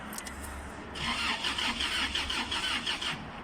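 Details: 2009/10 Toyota Hilux with codes P0335 and P0123 that cranks but won't start: even starter cranking for about two seconds with no firing at all; crankshaft position sensor fault.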